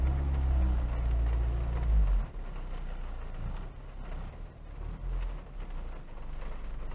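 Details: Parked Honda Civic EP3 petrol engine after engine mount inserts were fitted: revs with a deep rumble on a throttle blip, then settles to a steady, even idle, with only minor vibration through the seat; normal.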